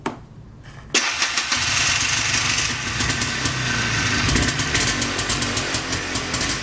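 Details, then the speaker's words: ATV single-cylinder fitted with new $22 Mighty Max 100 CCA battery: quiet key-on, instant catch, then a steady even idle; clean healthy normal engine start. "Yeah, we like that sound. We like that sound a lot."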